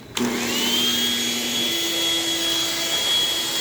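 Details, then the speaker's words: Upright vacuum in carpet mode, brush roll spinning with a steady high motor whine and even hum; it runs normally despite a stiff power switch. "Ah, it spins just fine."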